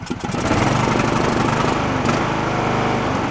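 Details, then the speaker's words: Abandoned Poulan Pro riding mower, head gasket suspected blown, valves roughly adjusted, carb dirty: single-cylinder runs unevenly only on choke with no idle circuit, trying to die; no bottom-end knock heard. Rough running. "carbs and mess it only run on the choke you can see where we had no idle circuit and it was just trying to die"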